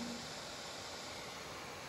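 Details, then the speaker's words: HP Victus 15 laptop (i5-13500H, RTX 4050), CPU stress-tested at 100% and reaching 97°C: fan manually set to maximum gives a steady even rushing hiss with no rattle, dropping the CPU to about 80°C; automatic mode never reaches this speed. "buradan fanı maksimum alıyorum bakın olması gereken ses bu olması gereken ses bu ama otomatik modda bu fan hızına çıkmıyor"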